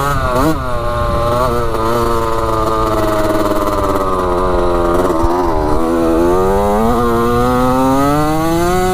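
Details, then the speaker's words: Rebuilt 1985 Yamaha YZ80 two-stroke dirt bike on a warm test ride: crisp buzz climbs and drops cleanly with the throttle, no misfire or bogging. Smoking from the exhaust, silencer not working well, clutch works; runs really good. "sounds good doesn't it she's a little ripper sounds so good yeah she's sounding pretty good"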